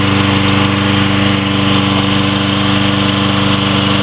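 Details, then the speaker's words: Troy-Bilt 21-inch push mower with 6.75 HP 190cc Briggs & Stratton engine, ReadyStart with no choke or primer, started first pull: even steady putter at constant governed speed, no misses or knocks; running well. "so here we go with the tro build there we go that's good first time sounds good"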